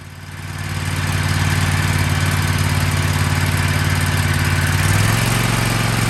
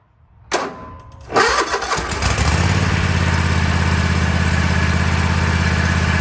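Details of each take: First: Kohler 7000 Series KT735 24 hp engine on a Toro MX5050 zero-turn mower, after replacing no-name spark plugs (fuel filter, pump and carburetor already replaced): steady, even low drone with smooth beat and no misses; running normally. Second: Kohler 7000 Series KT735 24 hp on a Toro MX5050 mower, after fuel filter and fuel pump replacement: it catches, then sputters and stumbles with skipped beats about three per second. The misfire was finally cured by replacing no-name spark plugs, not the carburetor.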